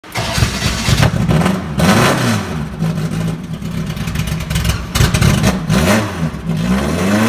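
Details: NASCAR Herbie #1, the primary Beetle race car from the 2005 film, with a high-performance 2332cc air-cooled motor, first start in about ten years; it catches quickly, then rough loud revs climb and drop repeatedly, a normal start and revving.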